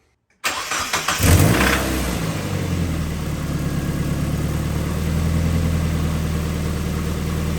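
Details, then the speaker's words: Mazda Miata after overdue maintenance with the spark plugs properly tightened: brief crank, catches and settles into a steady, even idle with no stumble or misfire, sounding slightly better than before, with less smell; normal idle. "To me, it's the smell is less, probably because the spark plugs are actually tightened down correctly, and the car sounded actually a little bit better while idling too."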